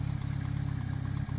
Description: I need to know if you agree. Lifter tick on the Evo 8